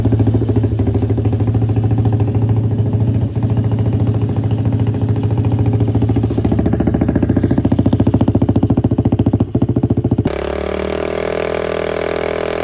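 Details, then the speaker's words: DIY go-kart engine after fitting a new aftermarket exhaust: steady, even low burble at idle with deep thumping note and a brief blip near the end; healthy. "Sound तो इसकी next level हो गई है, बहुत ज़बरदस्त किस्म की base आ रही है और बहुत मज़े की साउंड है।"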